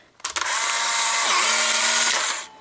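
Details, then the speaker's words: Polaroid 600 camera being tested with old expired film, fired with the red button. A sharp click, then an even high-pitched motor whir for about two seconds as the print feeds out and stops cleanly. Shutter and eject working normally. "then your film should come out. Like I said, this is old expired Polaroid film, so it doesn't really matter."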